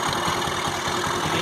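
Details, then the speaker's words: Honda Activa 4G scooter at idle; fast, uneven knocking pulses about six a second, heard at the silencer but mechanic suspects it comes from inside the engine; abnormal idle noise, cause not confirmed. "आज हमारे पास Activa 4G आया है, जिसके मतलब साइलेंसर में से आवाज़ आ रही है, कुछ अजीब सी आवाज़ है, जैसे आप आपको सुनाता हूँ।"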